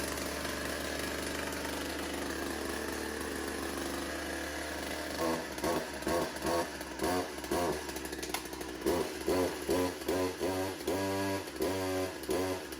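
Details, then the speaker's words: Old Craftsman two-stroke chainsaw, primer pumped, choke on: idles smoothly and revs cleanly on repeated throttle blips without bogging; runs well, later tuned on the carburetor screws. "So we got another one running. We're going to chalk that up as a win."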